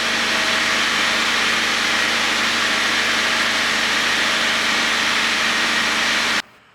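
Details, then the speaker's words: 1997 Honda Civic D16Y8 idling after valve lash adjustment: a steady, even idle with a smooth hiss and no ticking or tapping from the valvetrain. The engine sounds healthy. "it sounds like it's running pretty good right now so I'm excited"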